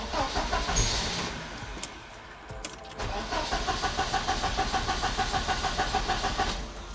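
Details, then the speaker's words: 1986 Porsche 944 Turbo, DME temperature sensor unplugged so the DME thinks it's freezing and dumps fuel, plugs wet: steady cranking about three turns a second, never catches; crank, no start from flooded engine. "car won't even run this time if it does run it dumps so much fuel the plugs are wet straight away"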